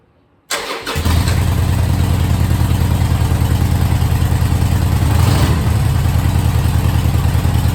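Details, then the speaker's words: Harley V-twin after carb repair for a fuel leak, cold start on choke with a battery charged overnight: short crank, then it catches and settles into an even, lumpy idle, running well. "Good. Any leaks? Sounds like it's running really well."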